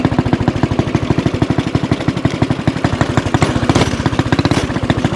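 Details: 196cc single-cylinder mini bike with a Mikuni VM22 carb, aftermarket exhaust and governor delete, on a top-speed run: even thumps about ten a second, pulling cleanly and responsively; healthy running.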